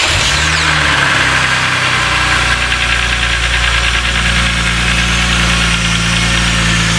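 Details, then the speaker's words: 2003 BMW E46 M3 CSL after the Burkhart SMG motor replacement: the engine runs at a steady, even fast idle with a loud intake rush, airbox off and wheels off the ground, during the clutch slip-point adaptation. No knocks or slipping. "It is properly going to make some noises. We're going to have the engine running though, so."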